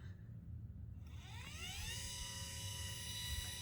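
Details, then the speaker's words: Celestron CGX mount motor under load after loose motor-mount screws were tightened in 1/16-turn steps: rising whine settles into a smooth, steady tone, only a tiny vibration left, no barking buzz or rattle. "that sounds almost right i heard a tiny vibration so i'm just gonna nudge it"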